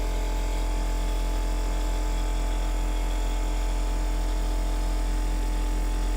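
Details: Tiny-house rainwater PEX (RV-style) plumbing: pump switched on to pressurize the line but nothing comes through; constant, even electric buzz and steady hum with no surge or flow change, pump running without moving water, cause unknown.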